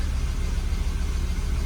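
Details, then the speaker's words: 2002 Volvo XC70 2.4 turbo, after replacing cam sensor aperture ring and housing to fix long cranking: started very easily, smooth even low rumble at idle with no misses, knocks or squeals. "But it started very easily, so that's good news."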